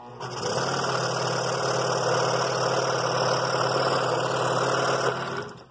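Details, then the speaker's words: Scroll saw at fairly high speed cutting half-inch walnut: fast, even chatter of the blade with no binding or knocking. Cutting really smooth. "this is cutting really smooth i've got the saw at pretty high speed i like to keep it fairly high as long as i don't get the blade hot"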